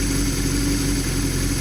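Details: Honda N600 on motorcycle carburetors: steady, even engine note with a clean exhaust beat, no knocks or misses. Healthy, well-tuned running during a throttle check.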